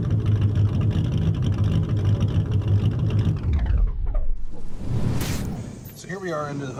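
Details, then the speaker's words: 2014 Honda Civic running really rough, in limp mode with code P0302: uneven, stumbling low thump at idle with a skipping beat; cylinder 2 misfire from a bad ignition coil. "today we've got the Honda Civic is uh running really rough I went into limp mode and it started to throw a code"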